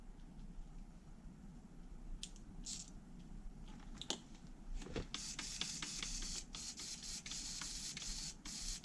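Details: HPI Savage 3.5 nitro RC truck, bench test of used steering servos: quick whirring bursts as the servo sweeps back and forth, smooth and even with no gritty catch, unlike a rougher one tested before. Normal servo operation.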